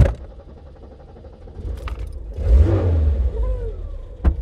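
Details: Dacia after fixing a suspected poor earth causing starting trouble: brief crank, engine catches and revs cleanly before settling, road noise behind; normal start after repair.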